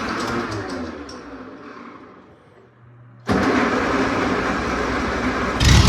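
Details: Old Oliver OC3 crawler after spark plug change, previously low oil pressure and ice suspected: slow uneven cranking fades, then catches suddenly and runs loud and ragged, then good oil pressure; hard starting attributed to leaking head gasket and worn rings.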